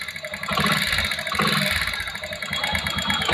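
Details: Motorcycle engine idling with a fast, light metallic ticking on top, roughly eight ticks per second; engine ticking noise.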